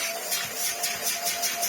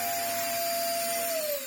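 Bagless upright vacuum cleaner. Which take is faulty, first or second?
second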